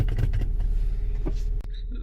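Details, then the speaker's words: Toyota Camry 4-cylinder, cold morning start, customer complains of low idle and stalling, no DTCs: slow, lumpy idle with no start-up flare, sagging toward stalling at very low rpm; sticking idle air control valve. "so we're gonna crank it now and duplicate customer concern very low rpms we can see there"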